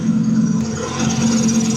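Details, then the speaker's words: Twin-turbo 1000+ bhp Lamborghini Huracan on MoTeC management, running badly after breaking at an event: a steady buzzing hum over a rough, uneven idle, traced to a noisy high-pressure fuel pump. "So it's that fuel pump. It's the high pressure fuel pump."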